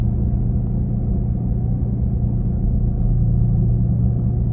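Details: 2017 Nissan Leaf while driving: deep, steady droning rumble like an engine at the rear, loudest between 40–50 km/h but present at other speeds; owner asks if normal, cause unknown.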